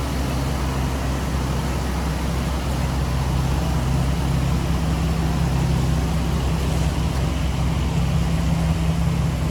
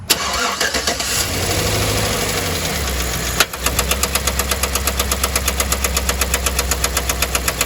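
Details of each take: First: 2010 Chevrolet Silverado 1500 5.3L V8 after AFM lifter failure repair with AFM/DOD delete kit, under-hood as idle comes down while warming; smooth even idle, no knocking, misfire, vacuum leak or ticking; normal idle. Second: 2010 Chevrolet Silverado 1500 5.3L V8 with AFM, running rough: cranks then a sharp steady tick about four a second with loud tapping and popping; locked AFM roller lifter, damaged camshaft, AFM delete kit chosen as the fix.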